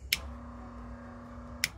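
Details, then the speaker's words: BMW E46 turbo build, electric oil scavenge pump draining the turbo, switched on with ignition in position two: a click, then a steady smooth low electric hum until a second click; the pump runs normally. "yep there's the noise we hear it so the pump comes on"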